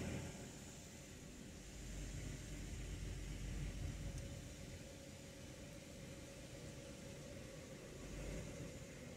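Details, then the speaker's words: 2011 Subaru Outback 3.6 H6 with 5-speed automatic (not CVT), on stands during scanner TCM relearn, AT temp light flashing: low idle blipping gently up and down, normal in learning mode, not clunking at that moment. "you can hear the idle blipping up and down a little bit um it's not clunking right at the moment"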